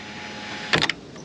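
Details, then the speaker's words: 2005 Toyota Highlander sunroof, six months of ownership: steady motor hum, then harsh crunching and grinding as it retracts fully, ongoing for a while; owner suspects debris such as a twig, unconfirmed. "you hear that crunch i mean i should probably take a look in there maybe it's something just like a twig or something um but it's done that for a while"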